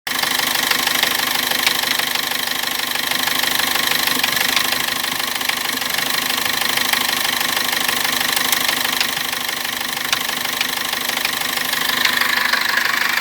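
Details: Cummins diesel: sharp regular knocking about three per second over steady running; knock began while driving with brief engine seizing, returned at 2000 rpm after warm-up and turbo and injector work, then stopped; teardown found no cause.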